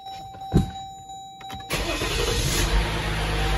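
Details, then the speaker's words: 2014 Jeep Grand Cherokee EcoDiesel after oil change and fuel filter replacement, fuel pump primed first: brief crank, then the diesel catches at once and settles into a steady, even idle with no hesitation or misfire; normal start. "Started right up."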